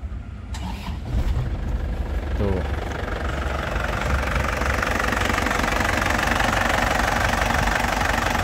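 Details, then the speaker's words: 2010 Isuzu Panther LS Turbo diesel, original factory-sealed injection pump: cranks, catches quickly and settles into a smooth, even, stable diesel clatter with no misses or knocks; normal idle. "dari suaranya itu kelihatan suaranya masih masih pulen ya masih pulen renyah KH penter gitu jadi kayak mobil baru suaranya seperti ini Lur renyah dan pulen ya"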